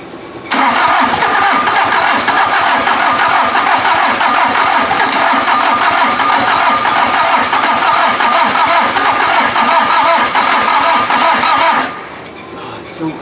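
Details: VW diesel (Mazda offroad build): steady cranking about three turns a second for ten seconds, almost catches with thick exhaust smoke but never picks up; owner thinks more cranking rpm and a battery are needed.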